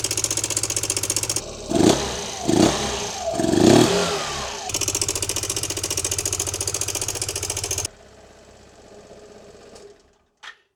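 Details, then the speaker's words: Yamaha XMAX scooter, 8 years owned, after replacing the cam chain tensioner (part 5TNE22101000), with the airbox disconnected: it starts quickly, blips cleanly, then idles steadily. The former top-end slapping is gone and the fix worked. "So yeah, the slapping noise is now totally gone. Our new tensioner seems to be working perfectly."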